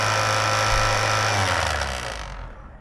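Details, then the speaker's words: PS3 console from e-waste, described as unhealthy with nasty problems: loud steady rushing whoosh with a high whine, then winding down; cooling fan far louder than normal. "This thing is definitely not healthy. It's got some pretty nasty problems, but I'm going to give you guys a listen so you can see what it is that we're dealing with here."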